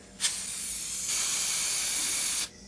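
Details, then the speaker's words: Adec Century Plus dental delivery unit, handpiece whip pulled forward: steady hiss of escaping air at the control block for over a second, then stops; traced to a faulty bleed valve leaking holdback air. "what's happening is whenever the doctor is pulling the handpiece forward it is making that noise we have trouble shot the issue to a faulty it's a faulty bleed valve"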